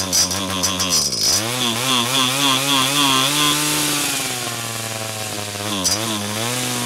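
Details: 49cc/47cc pocket bike two-stroke after carburetor replacement for a non-running condition: crisp buzz revving up and dropping back cleanly, pitch following the throttle evenly; engine runs healthy.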